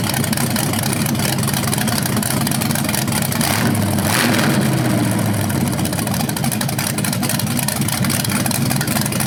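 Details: BluePrint 396 big-block crate engine for a 1970 Camaro SS, first run with headers and flywheel: steady burble, clean rev blip settling to even idle; healthy, though a slightly different rev sound is noticed, unsure if headers or flywheel.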